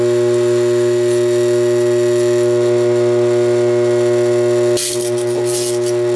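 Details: Armature growler testing a DC generator armature, hacksaw blade held against it: steady electrical hum that drops and picks up harsh buzzing chatter when contact is made over shorted bars; shorted armature bars.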